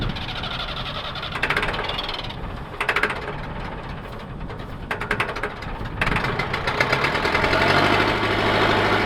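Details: Massey Ferguson 50HX backhoe loader, 4-cylinder Perkins diesel, hydraulic pump not yet connected to the engine: cranking bursts, then it catches and settles into a steady even idle clatter; starts and runs properly.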